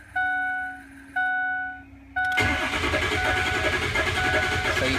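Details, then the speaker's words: 6.0 Powerstroke diesel truck after replacing all eight injectors and fuel filters: warning chimes then fast cranking with lopsided uneven beat, never starts; dead cylinder suspected. "hear right off the bat that cranking sound is not normal and now it's sounds like we might have a bad P so let's go ahead and check that"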